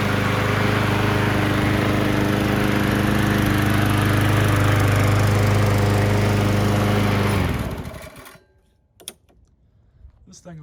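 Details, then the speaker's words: Murray push mower with Briggs engine after carburetor replacement (missing gasket found, likely the starting issue): even, steady single-cylinder drone with no misses or surging, then a clean shutdown; normal running. "Kind of had a feeling there was something going on with the carburetor. I'm glad it was something simple"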